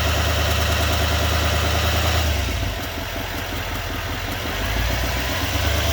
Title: 2020 2500hd silverado duramax ticking noise. is this normal?